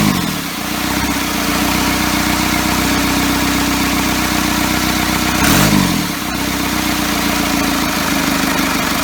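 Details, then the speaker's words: First start of a first-ever diesel engine build on custom motor mounts, at night, needing extra fuel: chugs slow and uneven, picks up briefly with a throttle blip, then sags back; idle way too low. "woohoo way too low way too low there we are"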